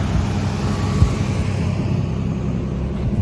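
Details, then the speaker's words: 1986 Nissan 300ZX at a smooth, steady warm idle with no misses, knocks or ticks, temperature gauge centered, ten minutes after new ignition parts (crank angle sensor, spark plugs) and fuel parts were fitted; running fine. "It's still running fine. Seems to be continuing to run nice and smooth."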